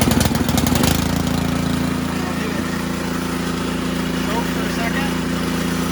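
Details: Ariens Sno-Tek 24-inch snowblower, model 920402, 208cc engine, just started on choke, augers not engaged: brief clatter at start-up then a steady even drone with no knocking or rattle; normal running.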